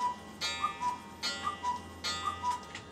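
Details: Musical cuckoo clock movement running after complete disassembly, cleaning and oiling: a steady, even tick-tock with a light ring on each beat and no stumbles. It runs in beat and sounds healthy.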